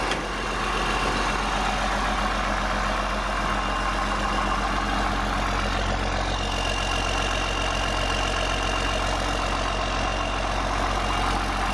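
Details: 8.3 Cummins swapped from a Ford F800 dump truck into a Case IH 2366 combine, first start after reassembly following a thrown rod, straight pipe: deep loud steady even diesel idle, no knocks or misses; choppy at first, then smoothed out, smoke clearing. Normal idle.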